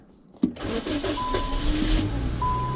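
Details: Car with an intermittent no-start, on the first attempt after the fix: the starter catches at once and the engine settles into a steady, even idle under a warning chime; normal start and idle.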